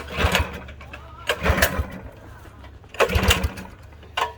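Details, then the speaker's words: Budget mini bike bought non-running, fresh oil and a little fuel: several uneven pull-start tugs with weak chuffing, no firing; seems to lack compression, fuel later pouring from exhaust; cranks but won't start, cause unconfirmed. "that doesn't seem like there's any compression"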